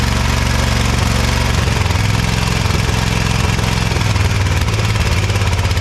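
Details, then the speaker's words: Ariens Ever Ride Hornet zero-turn mower, 25 hp Briggs & Stratton twin, sat outside a year, first start: lopes and stumbles with a heck of a backfire; one cylinder misfiring because its spark plug gap was carboned nearly shut. "well it runs we got a heck of a backfire not sure if maybe it got some water down in there the valves are sticking now or something or what"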